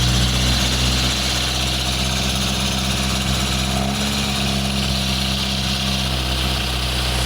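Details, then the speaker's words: Barn-find Lotus Elan Sprint big-valve twin cam, off the road since the early 1990s (33+ years), just restarted: smooth, even fast idle on choke, steady low drone, no knocks or misses. Normal idle on choke. "That's so good. That's it. It's just idling on choke. Really good."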